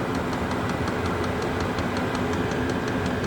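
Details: Chinese diesel heater with blue controller fully at temperature, glow plug out once lit: steady even combustion roar with light regular fuel-pump tick about five a second; burning cleanly, normal running.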